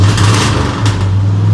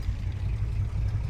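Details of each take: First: Engine with vacuum-secondary Holley carb, timing about 20 degrees without vacuum advance: revs rise then sag and nearly die; persistent hesitation despite two rebuilds, power valve, jet and accelerator pump changes; carb replaced with a Holley 4160. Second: Truck with V8 on newly fitted Holley 4160 replacing hesitating vacuum-secondary carb, warm at about 200 degrees after town drive, idling about 500; deep steady even rumble, no stumbles or knocks, hesitation gone.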